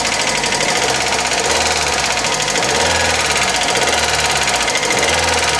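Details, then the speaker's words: Old Hyundai Accent petrol engine, warm, not misfiring, revved and released abruptly: busy fast metallic chatter, noisy but no rod knock from the bottom end. "I don't hear that with this one. She's noisy."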